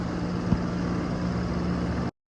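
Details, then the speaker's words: Outdoor AC condenser unit after repair, set level on temporary pads: steady, even low hum with soft constant tone and no rattles or knocks. Normal running. "OK。这就好了，运转正常。"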